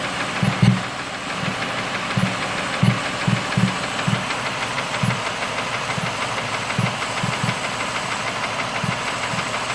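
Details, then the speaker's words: 2005 Mercury Mariner V6 at idle after number 1 spark plug blew out and destroyed its coil, both replaced: loud slight knock, seemingly top end near cylinder 1, with random intake popping, traced to the air box area. "Don't know how well you can hear this popping over the loud knock that's over there now."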